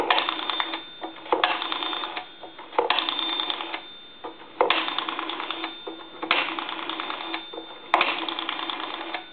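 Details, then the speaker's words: Repaired and converted A&E 3-slot chrome payphone, final checkout with the body locked: dial pulses in bursts with a faint bell tinkle on each run and pauses between digits; the ringer responds to dialing as wired. "And then when you dial, we'll go through our numbers one more time. And you can hear that bell tinkle a little"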